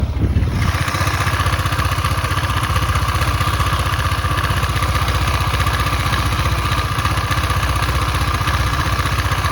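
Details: KTM Duke 250 at 12,000 km, idling. A fast, even single-cylinder beat with light mechanical clatter on each beat; the owner asks whether this is normal, and the source is undetermined.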